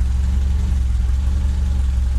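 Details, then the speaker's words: Renault 8 with swapped-in 1397cc C2J petrol four, points ignition, Renault 8S carb, tubular manifold and custom exhaust: steady even low rumble, smooth healthy idle. "not sure how much you can hear sounds good to me yeah"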